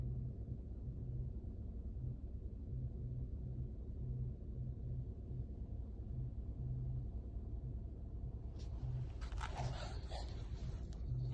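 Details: 2019 Mazda 3 2.0 Skyactiv-G, parked: steady low hum with a faint buzz cutting in and out from the rear, present for a few weeks; owner suspects fuel pump, source unconfirmed.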